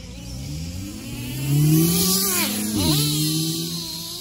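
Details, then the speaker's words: Traxxas T-Maxx 3.3 nitro RC engine, just bought, fuel tank has no fuel filter: screams up in pitch, then sags and stumbles near full throttle; high-speed mixture too lean, needs richening. "cut out at Full Throttle that means the engine is too lean so the high speed needs to be richer"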